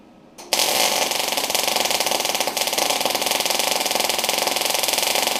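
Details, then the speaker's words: MIG test on a new Sip inverter multi-process welder, wire speed reduced after sounding like too much wire/too little voltage: steady, even sizzling crackle like frying bacon, no popping; smooth welding. "it is Waring it's working quite nicely"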